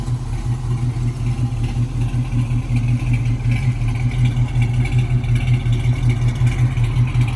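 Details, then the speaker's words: 1968 Ford Mustang coupe, 302 V8 with mild cam, 3-speed manual: deep, loping idle with slight cam chop, even firing, no knocks; normal idle. "let me see if i can try to start it up here um let's see this sounds good"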